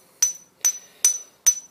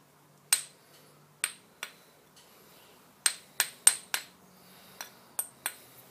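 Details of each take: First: Grinding wheel ring test before mounting for tool-post grinding, tapped with a screwdriver handle or Allen key; four clear, high, bell-like rings decaying cleanly: sound wheel, safe to use. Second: Ring test on a roughly 50–60-year-old grinding wheel for tool post grinding: about ten light taps giving dull, quickly dying ticks instead of a ring, indicating the wheel is not recommended for use.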